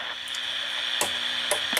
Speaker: and I'm going to touch the ball you control here and we'll see what happens then you can hear the scratchy volume control that's a problem